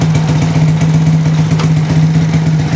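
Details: Motorcycle being rewired (ignition switch to headlight) after a blown fuse was replaced: engine started to check the ignition switch and battery charging; small single runs at a steady, even idle with clean low hum, no misses or rattles; normal idle.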